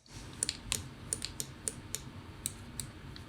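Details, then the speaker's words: Finalmouse ULX Frostlord gaming mouse: sharp, irregular clicks, some in quick pairs, when pressing the M1 left button near the scroll wheel; pressing too hard mid-paddle also depresses M3 (middle click), causing extra unwanted clicks. "So depending on where you push down on this guy, it's always around the mouse wheel. I think that's depressing the mouse button. Yeah, so if you press too hard in the middle of the paddle on M1, it will also depress M3 as well."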